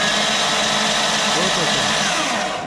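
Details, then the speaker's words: Freshly assembled RB engine for a VR Commodore swap, spark plugs out, starter fed by a trigger wire: steady, even whirring crank with no knocks or catches, and oil pressure builds; normal cranking with plugs out. "and then just got a trigger wire going to it just to crank it spark plugs are out"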